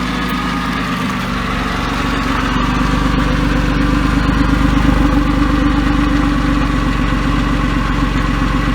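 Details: Porsche 911 996 C4S M96 engine, months after ticking attributed by owner to a sticky lifter, no repair done: smooth, even idle with a steady low hum and no valvetrain ticking; idles healthily.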